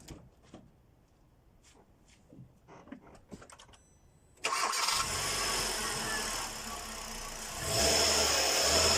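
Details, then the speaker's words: Hyundai Solaris after timing chain and rollers replaced to chase an engine knock: quiet clicks, then the engine catches, settles to an even idle and revs smoothly; no knock, healthy running. "но как видим никаких шумов"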